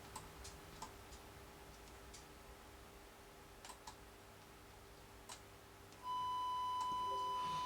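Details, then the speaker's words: York 861 radio receiver check with a 1 kHz test tone from an RF generator: after a few soft clicks a steady, clean tone comes in without crackle or warble; healthy receiver audio. "now we put our 100 khz tone on our one one khz tone on on uh which is already on pardon me if we go to the volume control we can now listen to"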